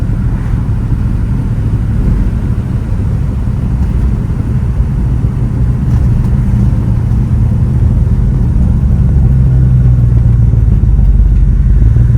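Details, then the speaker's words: 1965 Chevy Nova wagon with newly fitted Holley 450 carburetor, driving: deep exhaust rumble builds evenly under part throttle with no stumble or hesitation; much smoother acceleration than with the old carburetor. "Better than before. Much smoother acceleration."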